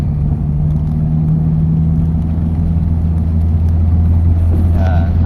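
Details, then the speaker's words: Mitsubishi Lancer Galant 4G92 engine, stored two years, after replacing fuel pump, one ignition coil and converting the MAP sensor, on test drive: steady drone pulling smoothly under load through the shift, no misfire; normal acceleration. "So hindi na siya palyado mga boss. Gandang humihila yun oh. Right swabe mga bossing."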